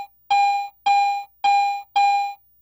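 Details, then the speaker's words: Garrett AT Pro International metal detector in Standard Zero mode, iron bottle cap passed flat and parallel to the search coil: four clean even mid-pitched tones, no low grunts; falsely reads as a good target. "start with the at Pro in standard zero mode and pass the bottle cap parallel to the search coil as if the bottle cap is lying flat on the ground note that the target response is consistent with the audio of a good"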